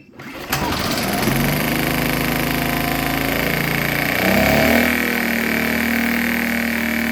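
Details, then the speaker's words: Predator Super Quiet Inverter 2000 after reseating pushrods and adjusting valve lash, run with the air breather still off: catches after a short crank and settles into a steady, even hum with one brief rise in speed; running normally. "all right super happy that we got it running"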